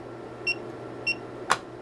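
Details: Hioki DT4252 multimeter after transient surge testing, diode test on one and two diodes: two crisp identical high-pitched beeps about half a second apart, then a sharp click; diode test working properly.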